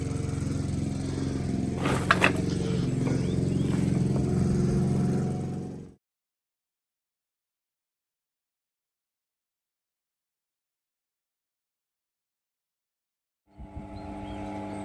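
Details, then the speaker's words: 250L Sottoriva tilting spiral mixer after spiral shaft seal and bearing replacement; low, even hum with a faint steady tick; runs quiet and smooth, slight pulley wobble, slight knocking possibly from the motor, no oil leaks so far. "Here she is running nice and quiet. Bit of a wobble on the pulley actually, which is a little bit odd, but nothing major."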